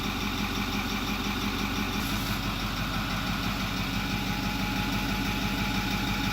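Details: 2008 Ford F250 6.4L turbo diesel after electric fuel pump replacement and system purge, fixing a no-start (P2291): even diesel clatter at steady idle, no stumbles or surging; running smoothly and holding speed.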